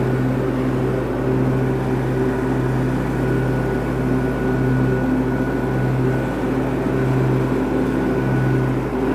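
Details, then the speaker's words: Cub Cadet garden tractor that smoked when hot, after exhaust manifold, muffler and air cleaner refitted, running with mower deck engaged: steady engine drone, constant pitch, even hum under load; normal running under load. "Well, it started right up. Let's see how we're gonna do. Hang on, this will get loud. Let me turn on the mower deck."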